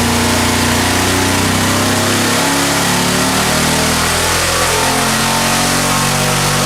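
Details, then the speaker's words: Junkyard LS V8 with twin two-stage BorgWarner turbos on an engine dyno: pulls hard under load but uneven and lumpy, two cylinders misfiring, about 250 hp. "okay so that's what we call a proof-of-concept pass what the two cylinders misfiring and a bunch of other issues and made like 250 horsepower lifting early"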